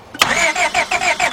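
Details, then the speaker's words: 2002 Honda Accord 2.3 cranks but won't start: steady starter cranking about six pulses a second with no catch; noid light shows no flash, so the computer isn't signaling the injectors. "right we got nothing which means the computer is not sending the signal to the injector to open it up"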